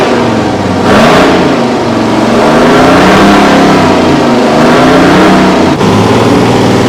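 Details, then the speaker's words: Kenworth/RFW 6x6 garbage truck with two-stroke Detroit 6V53 diesel, no muffler, restarted after sitting at least 4 years; raw unmuffled drone climbing and falling cleanly with throttle, no knocks or misses; running healthy. "It's got no muffler, so all the Detroit fans will probably enjoy the sound of this."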